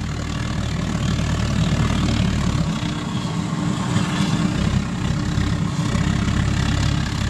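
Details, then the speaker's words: Homemade pot belly stove with a gravity-fed waste-oil burner and small blower, adjusted by dial: low even roar drops back then builds as the blower is turned, "like revving an engine"; burns cleanly and responds well; normal operation. "you can go from ridiculous back to sanity at the turn of a dial look at that it's like revving an engine"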